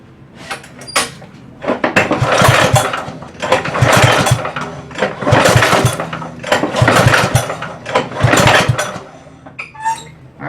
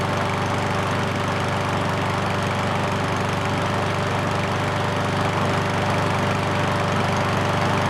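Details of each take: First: Ariens push mower after long storage, choke closed, no fuel shutoff: repeated rope pulls about every 1.5 seconds, each a short cranking whoosh with no firing. Won't start when pull-started; starter fluid into the carburetor is the next step. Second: Ariens push mower that wouldn't start after long storage, running after a carburetor clean; the single-cylinder engine holds a steady, even beat with no misses or surging, healthy and smooth.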